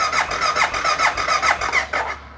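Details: BMW no-start, customer suspects the fuel pump relay: the starter churns steadily at about five pulses a second but the engine never catches; the fuel pump isn't running, so there is no fuel.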